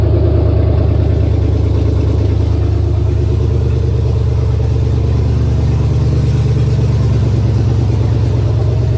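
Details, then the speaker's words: 1999 Chevy 5.3 V8 4WD junk donor pickup, run to test the engine: a deep, even V8 burble at idle with a steady low rumble and no knocks or misses. The engine runs healthy. "She's a runner, we know that much now, so good deal."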